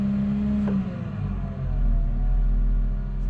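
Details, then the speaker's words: 2015 Caterpillar 930M wheel loader, Cat Tier 4 Final diesel, about 170 hp and 600 lb-ft, started from the cab: catches and settles into a smooth, even, quiet low rumble with no knocks or rattles; normal start and idle. "So as you can hear, this is a pretty quiet motor."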